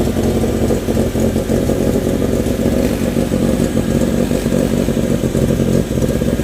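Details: Renault 16 TX engine after rebuild: loud, even engine note with crisp revs, no knocking or clatter; normal running.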